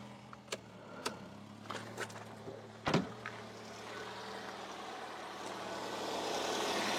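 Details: Fiat Panda 4x4, first start after replacing the timing belt, tensioner, water pump and thermostat. Clicks and a thump as it fires, then a low, even hum rising gently with light revs while the water pump and belt are checked. It runs smooth and healthy.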